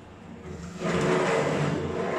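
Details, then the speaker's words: Vaillant Turbomax Pro combi boiler, no hot water with kitchen hot tap running, hot-water symbol flashing; after reset a quiet hum swells into harsh rushing roar with bubbling as it overheats, pipework blistering hot; blocked plate heat exchanger. "no but that didn't sound good did it sound like that boiler overheated"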